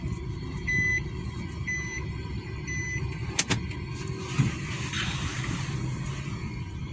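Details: Nissan Juke after repair of a cylinder 2 misfire: petrol engine idling with a steady, even rumble and no skips or stumbles.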